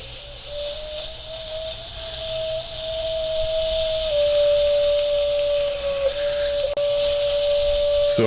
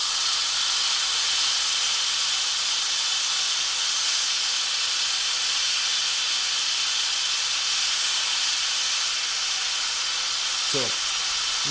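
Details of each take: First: WMF pressure cooker on the stove, binaural recording, pressure beyond the second ring: a steady high whistle with a loud hiss of escaping steam as the safety valve opens to vent overpressure. The fix is to cut the heat or remove it from the fire. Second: WMF pressure cooker, binaural recording, after heating with the valve set all the way back: a loud, steady high hiss as steam vents through the open valve. This is normal depressurising; the lid stays locked until the pressure is fully gone.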